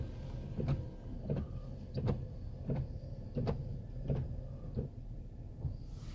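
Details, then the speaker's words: Truck wipers after cleaning the rubber blades with alcohol-based cleaner, tested wet at a car wash with washer spray: soft even swishes, no squeak, chatter or streaking; working like new. "no squeaking there's no chattering they work like they're brand-new"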